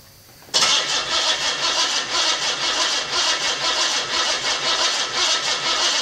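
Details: $50 L28 six (240Z) freshly rebuilt with chrome-moly rings and new bearings, first fire-up: catches at once, fast even idle with light crisp ticking, slightly tappy valvetrain; good oil pressure, no smoke.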